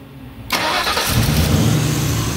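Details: 2004 Mustang after V6-to-V8 swap with replaced, programmed engine computer and key, after tracing an intermittent no-start power fault: brief quiet, then instant firing into a steady, even idle; normal start.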